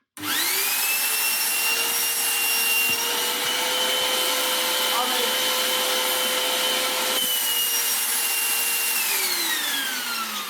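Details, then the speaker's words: Goblin Solo vacuum cleaner, restored, with a replacement motor mounted right against the exhaust grille. Steady high motor whine turns strained and choked as the exhaust filter is fitted: restricted motor airflow from a blocked exhaust filter. "It's literally right up against that grill there. It makes filtration a little bit of a problem. Hear how blocked it gets when I put this filter"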